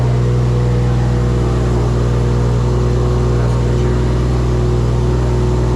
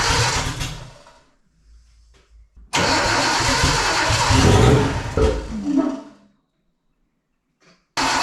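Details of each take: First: First start of a freshly wired engine with an LS alternator kit: steady, even drone with a constant low hum and no knocks or misses, running smoothly. Charging voltage reads far too high and is not regulating; owner wonders if the alternator is overspun. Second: Custom car's first startup: it cranks, catches in a rough loud burst, stumbles and dies. The trigger offset was set 360 degrees off; it ran fine on the crank sensor alone, and the kill switch was also wired backwards, giving no spark.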